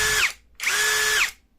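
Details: Single-lock cordless drill at speed 1: two short even whirs with steady pitch winding down cleanly at each stop, without the rough krek-krek heard at speed 2; normal drill run and stop.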